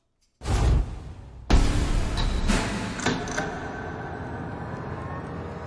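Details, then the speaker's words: Carbureted V8 on the dyno, baseline run without nitrous before a 150-hp plate install, revving to 7,000 rpm at full throttle: loud steady deep roar, running clean and even; healthy wide-open-throttle run. "Big surprise. This thing runs exactly the same as last time we tested it. >> I know. But it's just as exciting to me to hear that thing at seven grand."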